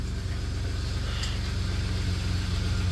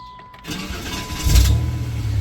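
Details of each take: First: 1993 Dodge Caravan after head gasket repair, warming up with hood open: smooth steady low rumble, even beat, no misses, knocks or ticks; healthy idle. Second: 1993 Dodge Caravan, head gasket previously repaired, restarted after refuelling: brief uneven starter whirr before the engine catches into a rumble; starter always sounds funny when cranking, no smoke afterward.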